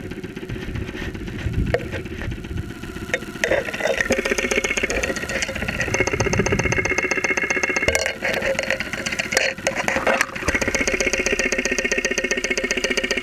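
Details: 2001 Saturn SL2 run with very low oil and unused for two months, heard through a stethoscope microphone at idle with 35-40 psi oil pressure: a fast, steady metallic ticking knock over the idle. Bottom-end wear possible, cause unconfirmed.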